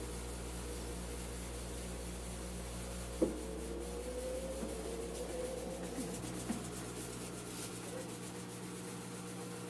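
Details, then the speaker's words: 8.5 kg Turbo Drum washing machine on spin cycle, expelling water normally but shaking more than normal: steady low motor hum with occasional hard knocks from excessive vibration. "podemos notar que ésta tiene una vibración excesiva"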